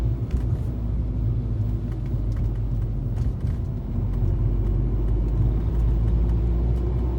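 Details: 2013 Fiat 500 driving over bumps and potholes: sharp, irregular clicks snap out from under the car over the road rumble, suspected loose or worn suspension parts, source unknown.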